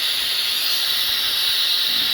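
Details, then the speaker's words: Adwest power steering rack control unit (early Stag/Jaguar/Jensen type), disassembled and bench-tested with air: steady, even high hiss of air flowing through the valve, no flutter; turning it one way blocks the passage; flowing normally. "you can hear air coming out of the system and I turn it one way it wants to block the passage and I block it turn it the other way"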